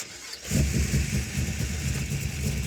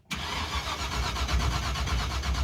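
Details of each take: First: Car engine with vacuum advance, running again after two failed ignition boxes. It catches, climbs smoothly to a high steady rev, holds clean without stumbling, then eases back down, running healthy. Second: Engine fitted with a fire-truck coil and a borrowed ignition box whose light blinks: steady starter churn at about four pulses a second with no firing; no spark, the rotor checked fine, and the distributor pickup is suspected.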